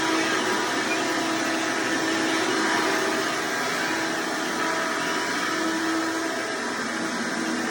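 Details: Hoover Decade Soft & Light Elite vacuum owned since May 2024, first test after swapping the 7-bladed fan impeller for a 20-bladed upgrade, bearings already greased: steady even high whir, no rattle or rubbing; quieter but still a little loud, motor running normally.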